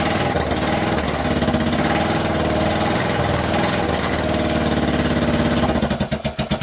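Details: 2012 Kawasaki Ninja 250 twin, 42,000 miles, test-fired on a stand with gas trickled into both carburetors; uneven lumpy beat, then separate chuffs as it dies; owner unsure it runs on both cylinders, unconfirmed.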